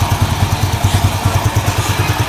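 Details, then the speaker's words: Yamaha Jupiter Z1 single-cylinder engine, hot after a road ride, idling with an even, regular pulse and no clatter after reassembly; previously ran rough when hot despite a recently replaced cylinder block; normal idle. "Nah mesinnya Terdengar sangat halus gak ada yang suara yang kemeruacak padahal ini udah panas mesinnya udah panas"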